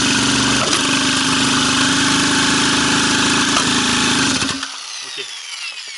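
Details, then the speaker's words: Iseki small two-stroke engine tested for a mini bike build, third start test with the original carburetor refitted. A loud, rough buzz with irregular popping and spitting, then it cuts out. It is backfiring through the carb; the cause is not confirmed. "Pétarade, mais il y a un truc. Non, il y a un problème."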